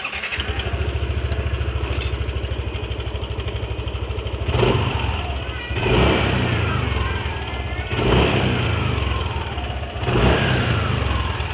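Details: Yamaha NMAX: steady idle broken by throttle blips every couple of seconds, light metallic rattle (kletek) as revs fall on throttle release; loose CVT slider also found, but rattle vanished when the cam chain tensioner was pushed in further, showing a faulty tensioner.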